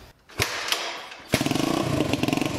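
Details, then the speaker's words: Yerf Dog 150cc shifter kart on first start and test: sharp pops and thuds, then rough uneven pulsing run; engine running super lean, backfiring a lot with little power; gearing also too tall. "two the engine is not running right it's running super lean uh so it's backfiring a ton and doesn't have that much power"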